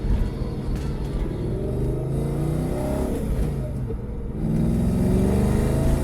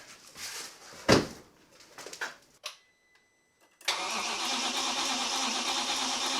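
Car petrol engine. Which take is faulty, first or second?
second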